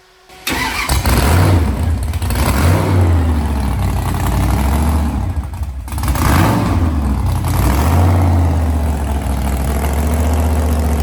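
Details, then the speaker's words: Custom Dodge A100 van, V8 with two fuel tanks, fan on, in park: catches quickly on the first crank and settles into a loud, lumpy idle with a couple of blips; starts and runs fine. "So I thought I'd fire this bad boy up for you, let you hear it. I'm going to warn you right now, it's a little loud."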